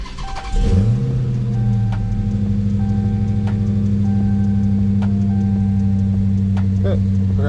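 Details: Dodge Hellcat V8 cold start after deleting the active exhaust valves with a dummy plug on the valve module, no check engine light: it catches and settles into a deep, steady cold idle with a strong low rumble and no misses; healthy.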